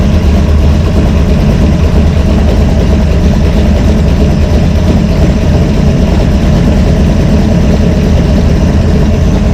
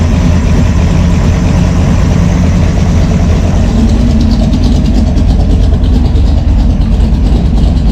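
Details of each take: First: Brawler 650 CFM double-pumper carb, timing 16° initial and 36° total, one idle mixture screw turned fully in: a loud, low idle that sounds lumpy and strained as vacuum drops. Rough idle from the lean mixture. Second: V8 with a Brawler 650 CFM carb, mixture set 1 turn out on all four corners, about 10 in. of vacuum with the cam and throttle-body spacer: a steady, even idle with a mild cam lope and no stumbling. Normal idle.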